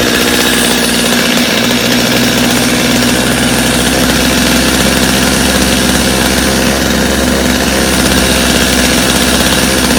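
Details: Customer's Stihl chainsaw after reassembly, original Bosch spark plug, started from full choke; steady high-pitched two-stroke buzz at even idle without stumbling or surging; idle a little high but otherwise running clean, little carb adjustment needed.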